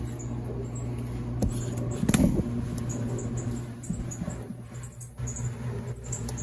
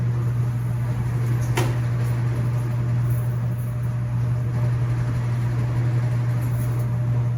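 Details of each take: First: Laundromat top-load washer running in rapid advanced mode: a low steady hum with faint, irregular high mouse-like chirps; a squeak in the drive that sounds more like a spring than an idler pulley, cause not confirmed. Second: Laundromat non-top-load washers running empty, spinning at top speed: steady low even hum, quiet enough to converse, apart from a couple of clanks; normal healthy spin.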